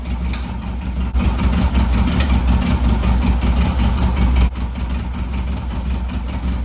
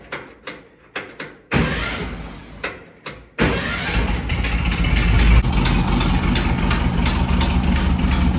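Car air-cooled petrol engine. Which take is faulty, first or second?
first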